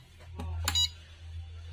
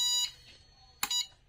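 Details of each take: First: Luminous Shakti Charge 2250 inverter PCB, 24V double battery, on 24V DC bench supply: short high beeps about once a second over low hum; micro's 5V regulator gives 2.6V from 12.7V input, microcontroller replacement didn't help. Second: Luminous Shakti Charge 2250 inverter PCB, 24V double-battery model, on 24V DC bench supply: a couple of short high-pitched beeps at switch-on then quiet; normal power-up chirp, after which mains and charging were accepted.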